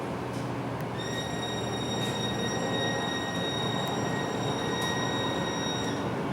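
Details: MAN NL323F A22 Gemilang bus, heard inside and outside: loud, steady high-pitched whine held constant over the diesel drone; abnormal driveline whine, source not pinned down.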